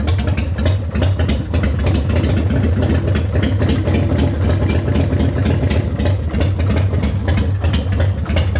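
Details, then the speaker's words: 1996 Harley-Davidson FLSTF Fat Boy, cold, started after a new front fork installation, owner says it never liked to idle cold: deep loping V-twin beat at a slow, even idle with no knock or rattle, normal idle. "This one she never liked to idle when she's cold. So still, ran pretty good."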